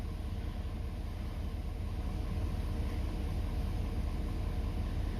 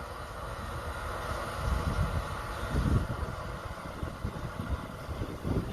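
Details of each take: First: 2017+ Ford 6.7 Powerstroke diesel, warm engine, just started after fuel filter change and three lift-pump bleed cycles: low, steady rumble with an even beat, no misses or knocks; healthy idle. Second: 2017+ Ford 6.7 Powerstroke after fuel filter change, push-button ignition on without brake to bleed: lift pump hums steadily with uneven gurgling and hissing as trapped air flows through the diesel fuel system to the return.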